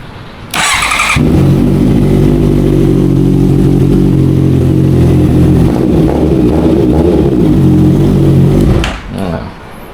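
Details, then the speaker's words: Honda CB650F converted to CBR650F fairing, after all four spark plugs replaced (one found bad on cylinder 4) and air filter cleaned: smooth, even idle with no stumbling as before; normal. "ตอนนี้ก็เสียงเดินเบาก็ปกติไม่มีอาการสะดุดปุ๊กปักๆปั๊ๆๆเหมือนตอนแรกแล้วนะครับ"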